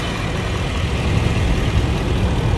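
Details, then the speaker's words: 2004 Lexus LS430 that would not crank or start after a car wash: steady, even low idle rumble with no knocks or misses after the loose engine ground (likely disturbed by alternator removal) was tightened and the starter relay reinstalled; normal idle. "After I tied the ground, the car is running good. Everything okay."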